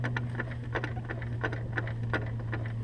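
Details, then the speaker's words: Honda S2000 propeller shaft turned slowly by hand via the wheel gives sharp clicks about three per second from the worn driveshaft, a clicking heard for a long time that has worsened; the shaft is being replaced. "that listen you can hear that clicking sound and that's what I've heard that sound for a while since I've had the car I just thought you know the drive chef's just a little bit of play but it's become so bad now that if I believe it needs to be replaced"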